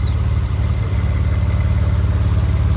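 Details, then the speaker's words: Mitsubishi 3000GT VR4 newly installed engine running: a smooth, low, even idle with no ticking, knocking or rattles, and temperature, oil pressure and voltage reported good, a normal idle. "Just listen to how quiet this is. There's no ticking, there's no abnormal noises,"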